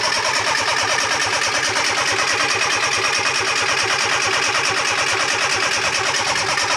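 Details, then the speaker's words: Fiat Panda 4x4 project with swirl pot and newly filled injection rail, clutch pressed: steady rapid cranking about two beats a second that never catches, crank-no-start; smells very fuelly, owner suspects swirl pot needs topping up, injectors suspected not firing. "it smells very fuelly why won't it run"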